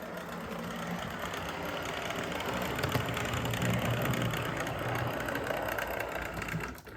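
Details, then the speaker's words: Athearn Band-Drive F7 model locomotive running at sensible speed: steady motor whir with a light regular tick about four times a second; owner suspects the not-quite-straight drive shaft. "I can hear a bit of tick but that's cuz that drive shaft isn't exactly [Music] [Applause] straight"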